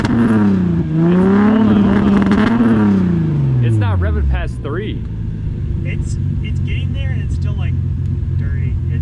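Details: Lexus SC300 that sat since October on old gas, with a rough idle and misfire: revs climb and sag unevenly, won't pull past about 3000 rpm, then fall back to a rough, uneven idle.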